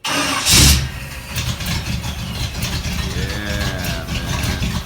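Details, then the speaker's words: First-ever start of a 1951 Mercury chop-top lead sled after the drivetrain install, with an old-school exhaust: the big V8 cranks, catches and settles into a loud, lumpy but even idle with no knocks or misses. It runs normally. "Here him and I are getting ready to turn the key for the first time, and the next thing you'll see here is a video of us actually running the motor, and you'll hear what the old school exhaust I put on it sounds like too."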